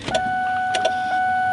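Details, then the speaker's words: Ford Mustang GT build, no engine running, just after the battery was unplugged and reconnected: sharp irregular clicking over a steady electronic tone, hazard flashers on, as the alarm system relay chatters after power was restored. "the alarm system doesn't like having the battery unplugged and plug back in we had this problem so you can see our flashes are on you can probably hear the clicking the clicking we've got going on"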